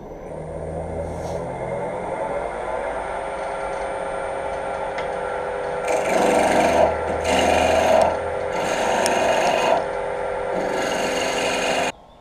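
Steady hum of the lathe spinning, then smooth, even hissing cuts in bursts as a sharp gouge shaves the spindle cleanly.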